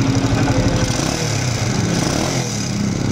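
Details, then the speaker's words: Honda TMX155 CDI single-cylinder motorcycle at idle before repair: loose, uneven ticking over the thump from worn camshaft and cam followers; fix is replacing timing gear, camshaft, cam follower and cam follower shaft. "Bali, maingay po yung bandang part na ito mga brothers. Ngayon, ang gagawin natin dito, papalitan natin ng timing gear, camshaft, cam follower at saka cam follower shaft."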